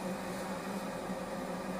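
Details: SOLLY H18 gas boiler that was shutting off with GS (heat exchanger overheat) and CS (supply temperature sensor) errors, running with pressure at 1.8–1.9 bar and the pump working: a smooth, even low hum under a soft airy rush with no clicks, cutouts or surging.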